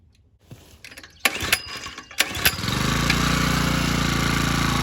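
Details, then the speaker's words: Generac CW15K gas water pump being repaired: after a few pulls it catches and jumps straight to a loud, high, steady rev, because the throttle rod is too long for this carburetor and holds it wide open. Overrevving from misadjusted throttle linkage. "So this rod was too long for this carburetor."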